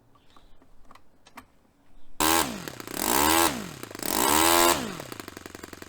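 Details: Fully stripped and rebuilt Saito FA-45 Special on a test stand, on 10% nitro fuel with its original old glow plug, after tuning. It fires from a quiet start and revs up and down cleanly in smooth swells, with even transitions: normal running.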